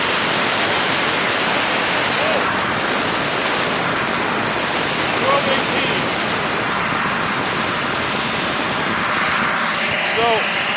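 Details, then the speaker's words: Turbo barrel on a cage buggy, packed very tight with wood for pyrolysis gas: steady hissing roar with a thin high whistle that never builds or climbs; the owner suspects too little air gets through and it struggles to spool. "I packed it really fucking tight. I might not have enough air through it. Sounds like it's struggling."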